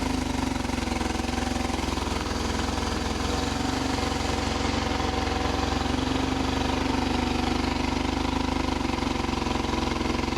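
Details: 1995 BMW R1100RSL boxer twin, unrun for over a year with a no-crank, no-start problem, now repaired: a steady, even idle with a smooth low thrum and no knocks or misses.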